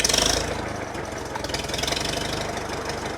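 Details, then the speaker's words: Farmall Super M tractor's first start after rebuild, out of gear, with a few leaks: catches almost at once, then a steady idle with regular firing beats and no knocking; healthy. "sounds pretty good first start first start right away"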